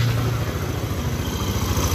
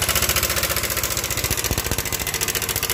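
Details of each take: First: Yamaha Nmax scooter after replacing the cam chain tensioner for a rough knocking engine, intake hose still detached: very smooth steady idle with no knocking, only some air noise from the open intake. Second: Yamaha Nmax scooter, side deck removed, idles with a rough, fast clattering knock for several days; oil reportedly changed; tensioner broken inside so cam chain went slack.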